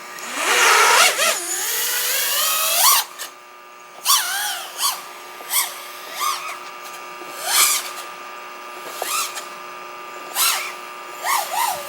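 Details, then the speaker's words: OxFPV Acrolite 230 quad with T-Motor F40II Pro motors, Betaflight 35A ESCs and F4 flight controller, during PID tuning after lowering P and raising D gains: motor whine wavers on full-throttle punches, still showing top-end oscillation. "the Sun did go away still getting some top-end oscillations I think so we're going to need okay"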